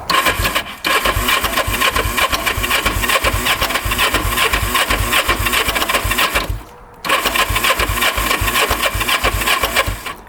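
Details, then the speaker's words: Non-running 1988 Kawasaki Ninja EX500 twin-cam 8-valve, choked start attempt: fast, even starter churn with two brief pauses, engine never catches or pops; cranking no-start, with the oil light flashing and the hazards left on; cause not confirmed. "it doesn't even want to pop off"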